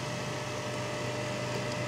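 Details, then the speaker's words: Hazer Unique 2 after repair of failed air pump (error E-8) and poorly flowing vaporizer, mixer resealed with nylon tape, turned down to 40 (milder dosing); steady even fan and pump hum, no rattles or surging; normal hazer running at reduced output. "Dám to na 40 na 40 to je to mírnější dávkování"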